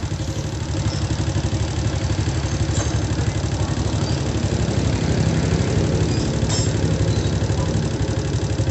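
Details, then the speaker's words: Honda Supra motorcycle at idle: loud steady clatter about four per second with lighter ticks; roughly 30% from cam chain, 70% from other sources; lower valve found slightly loose, cam chain being replaced. "Perhatikan suaranya, guys. Ada bunyi kletek-kletek secara teratur dan sedikit bunyi kecil-kecil ya, tapi yang besar banget itu bunyi kletek-kleteknya."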